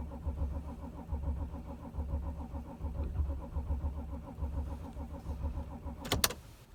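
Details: 2006 Audi A6 4F 2.7 TDI quattro, cold: starter turns engine over steadily, about one compression pulse a second, but it never fires; crank-no-start.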